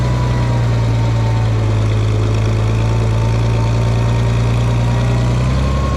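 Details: Farmall 460 tractor, rebuilt engine, after upgrading to electronic ignition, test run to charge the battery: steady, even low drone with no misses or knocks, running cleanly; owner thinks timing advance may be slightly off but runnable.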